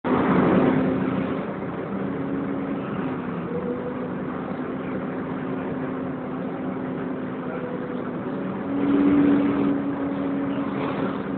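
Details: Wright Renown bus 60833 (W766 HBT) on the move; steady high squeal swelling into a sharp screech like a tyre burnout, coming from the cooling fan area.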